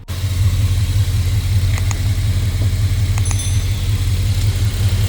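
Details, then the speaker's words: 2002 Jeep Grand Cherokee 4.7L V8 idling after spark plug replacement that fixed a cylinder 2 misfire; steady, even low rumble with no stumbling. "seems to be working better so there you go"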